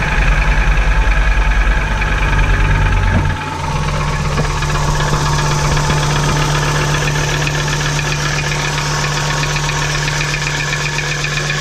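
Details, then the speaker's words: VW T4 2.5 AAF engine at idle: steady knock of about three per second on a deep rumbling idle, still present after pulling ignition suppressors one by one; revs freely, no problem above 3000 rpm, louder under load; source not found. "Ah, ça cogne toujours, hein. Sinon on entend qu'il prend très bien les tours et au-dessus de 3000 il n'y a aucun problème."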